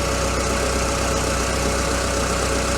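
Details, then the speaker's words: Citroen Saxo burning oil, idling: even idle with an irregular wet, bubbling gurgle; owner suspects crankshaft slapping the oil but believes the level isn't overfull, cause not confirmed. "what is that gurgling sounds a little bit like crankshaft slapping the oil I'll double check the level again in a minute but I'm pretty sure it's not over full"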